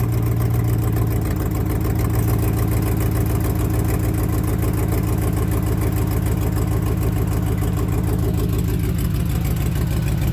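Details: 1998 Land Rover Discovery 1 V8 idling with a rapid, sharp puffing tick on the exhaust note, from a leaking driver's-side (left) exhaust manifold gasket; recorded before gasket replacement, the other side not leaking.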